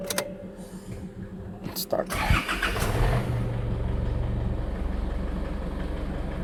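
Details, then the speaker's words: Isuzu D-Max/MU-X diesel after fitting new evaporator temperature sensor (thermostat, GM 981-39383) to replace faulty one: cranks, catches, settles to even idle that steps up as AC compressor engages; aircon working, RPM rising normally. "Ayan, gumagana. Tumataas yung RPM. Opo nga. Okay, gumagana ang aircon. Nagbabago yung RPM."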